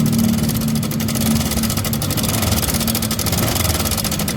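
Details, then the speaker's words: Honda Vario 125 scooter idling: loud fast metallic clatter over engine note, throttle kept low to avoid damage; abnormal top-end noise, cam chain (keteng) area to be checked first. "Oke, ini motor Honda Vario 125. Kedengaran suaranya jelas berisik."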